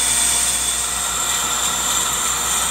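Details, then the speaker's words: Older Accu-Turn 8922 brake lathe machining a brake rotor, finishing the last revolutions on the inside edge: steady, even high-pitched hiss as the bit feeds across and cuts cleanly; normal brake rotor cut. "okay friends it's about done more revolutions here on the Inside Edge and we'll be totally done you can still hear the bit cutting that we up very nicely"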